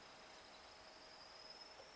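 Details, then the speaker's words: Homemade NTC thermistor MOSFET fan-control circuit for an amplifier, thermistor cooling after finger warming: faint high whistle wavering and chirping over quiet hiss; MOSFET hovering at its gate switching threshold. "you heit them up the resistance goes low less resistance between the gate and plus volts therefore increasing the voltage and the gate switches on you let it go it cools down and that whistling and twee"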